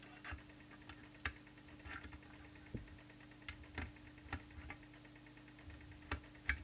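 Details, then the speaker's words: 2013 Cobra 29LXEU 80-channel CB radio during transmit power adjustment at about 4 W, heard through a plugged-in extension speaker. Faint, uneven sharp ticks about twice a second over a low hum; the source is not yet traced. "there's an annoying ticking sound can you hear this I'll just not make any noise when I go into transmitter I've got the extension speaker plugged in that would annoy me something chronic"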